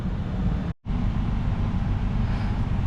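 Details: 2014 Toyota Venza after replacing the blower motor, which bound up behind a clogged cabin air filter: a steady low fan whoosh with no rattle, scrape or wobble. The blower runs normally.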